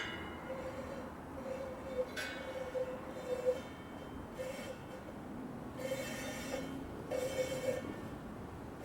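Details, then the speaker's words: 1985 Cannondale ST500 touring bike, upgraded cartridge-bearing wheel in truing stand after 35 years' shed storage: light squeaky rub in short bursts about once per wheel turn, rim rubbing on the drive side before truing. "Okay, and you can hear a little bit of rub. This happens to occur on the drive side."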